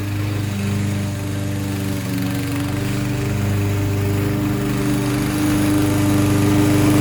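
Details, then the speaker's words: Toro 6.75 HP 149cc self-propelled mower with a Kohler engine, repaired after bad gas (fuel shutoff added). Even single-cylinder hum holds steady while cutting dandelions, only a slight pitch rise, no stumbling; normal running under load. "there you have it guys toro 6.75 cooler engine back to running one pull start again"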